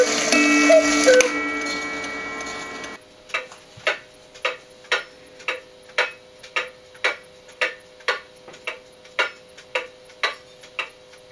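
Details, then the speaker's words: Antique cuckoo clock out of beat, not from tilt but from worn bushings and bent escape wheel teeth, before repair: after music, sharp ticks about 160 per minute with uneven tick-tock spacing; erratic beat. "well can you hear that that's the sound of a clock that's out of beat and not because it's tilted one way or the other but because there's another problem"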